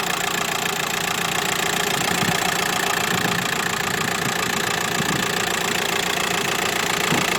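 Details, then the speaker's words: 2008 Volkswagen T5 1.9 diesel, 75 kW, about 170,000 km, idling at a car market: steady even clatter about three to four beats a second with no knocks, vibration or uneven running; healthy idle. "хорошо работает без волнения двигатель без всяких посторонних звуков стуков вибрации вот такой вот автомобиль вот так вот работает двигатель"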